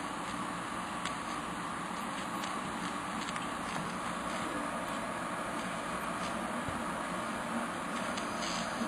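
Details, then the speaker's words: Water pump suction line after a freshly sweated copper joint that soldered badly: steady airy hiss with faint crackling as air is sucked in at the leaking suction-line joint. "Ah, yeah. I hear it leaking. Suck in here."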